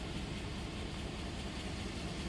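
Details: 2008 Chevrolet Suburban shaking badly and losing power, check engine light flashing, scanner code for cylinder 4: uneven idle with an irregular stumble in the low thump, beat dropping out now and then; cylinder 4 misfire.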